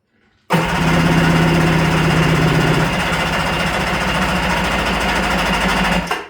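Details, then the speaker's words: Kawasaki 550SX two-stroke jet ski after full restore, next day after setting low-speed carb screws: slow, labored starter turns about three per second sagging over five seconds, never catching; battery is dead. "And the battery is dead. Cool."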